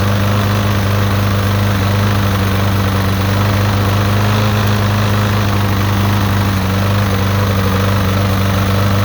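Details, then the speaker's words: Free push lawnmower, previously non-running, started after freeing the starter and adding gas; steady single-cylinder drone with an uneven lumpy beat, doesn't sound great; owner suspects the engine is going out, carburetor cleaning planned. "so now i'm gonna hook up the battery of course it doesn't sound the greatest"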